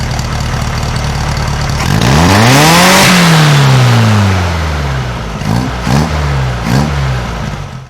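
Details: 1956 VW Beetle flat-four with Solex carburetor, after valve readjustment to 0.006in feeler gauge: crisp rise and fall on a big rev, then quick blips dropping to even idle; clean, well-tuned, healthy engine revving.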